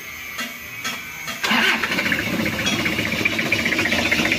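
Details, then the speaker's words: 1997 Toyota Kijang diesel with head gasket oil seep and oil in radiator coolant: fires up into a low, lumpy, uneven idle, shaking badly and short of revs; mechanic suspects a loose timing belt, dirty diesel filter or air in the fuel. "suaranya seperti ini terlalu low rpm-nya tapi ini menurut saya kayak timingnya kendor atau filter solarnya nya kotor jadi seperti kekurangan gas atau setengah Masuk angin"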